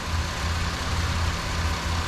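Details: Buick Rendezvous that wouldn't start, now running at the shop with misfire complaints, EGR to be removed and cleaned: steady, even low idle rumble with no stumbles or skips; idling smoothly.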